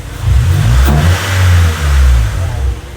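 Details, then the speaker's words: Freshly rebuilt Honda Civic D16Y8 engine on first start-up, running on conventional 10W-30 oil with no leaks: deep, smooth revs climb and fall back evenly with no knock, tick or rattle; the engine sounds healthy. "Sounds very healthy."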